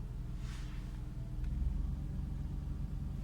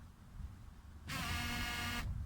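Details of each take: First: Mercedes W124 petrol engine idling after cleaning the clogged fuel tank strainer: the engine tries to stall at first, then revs even out to a steady low rumble; fuel pump, previously loud, now barely audible. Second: Mercedes W124 fuel pump, switched on for testing, gives a loud, steady buzzing whine for about a second when it should be nearly silent; flow is weak, barely trickling. Suspected clogged in-tank strainer, to be cleaned; finding: loud fuel pump whine from clogged strainer.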